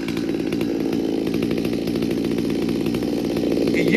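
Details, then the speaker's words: Stihl MS200T saw with aftermarket carburetor and intake boot, new carb kit fitted, warming after cold start: fast, slightly ragged buzz, idle creeping higher, much smoke; goes out of tune when warm. "goes out of tune once it warms up you'll notice how much smoke is coming out of this it's starting to idle up already"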